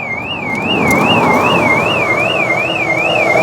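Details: 2002 Proton Wira that sat 12 years: the car alarm goes off when power is connected. A loud warbling siren rises and falls about three times a second.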